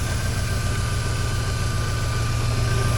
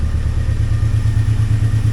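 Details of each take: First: 2003 Mini Cooper that sat for a month, running on the lift after an immobilizer bypass: low throbbing idle with a steady whir on top, source unknown; owner suspects the fan, and smoke burned off the exhaust pipe. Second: 2003 Mini Cooper, sat for a month, running after immobilizer hot-wired: quick even idle pulsing about ten beats a second, no knocks or misses; normal idle, with a separate clatter later traced outside the engine.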